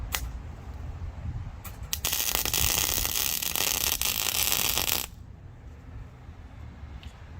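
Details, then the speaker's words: MIG welding a homemade lock-ring tool for an '04 Honda Civic DX fuel pump job, gas bottle run empty: harsh sputtering crackle instead of smooth sizzle; welding without shielding gas, crappy welds, strength doubtful. "that my friends is what happens when you weld without gas i'm hoping that it will be strong enough"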